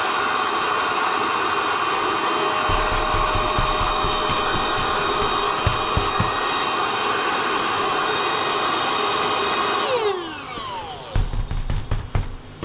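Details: NovSight G5 6000A jump starter/tire inflator's built-in air pump inflating until taut: high steady motor whine holds about ten seconds, then winds down cleanly when switched off; normal running.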